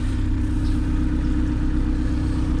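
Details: Honda EF/CRX after 5-pin main relay conversion, fuel pump now powered straight from battery: steady deep even idle rumble, no knocks, misses or squeals; check engine light believed from miswired speedo. Normal idle.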